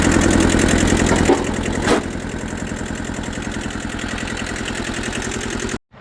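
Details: Kubota B6000 4x4 diesel auction tractor after sitting for years, first start: catches with a rattly clatter, then settles into a steady, even idle of about three to four beats per second.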